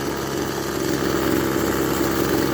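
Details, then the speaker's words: Echo SRM-200BE weed eater, carburetor already cleaned without improvement: small two-stroke at steady idle with a rough, uneven beat, slowly losing power and misfiring. Misfire and power loss. "as you can hear it's kind of slowly starting sounding like it's losing power it's misfiring a bit"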